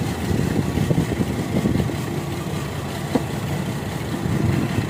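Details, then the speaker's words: GMC with P0305 misfire code at idle: rough, lumpy idle with uneven low pulses and occasional stumble; one cylinder not firing, spark plug or coil suspected, not confirmed. "यानी इसका ये cylinder कम नहीं कर रहा इसके लिए plug का मसाला है"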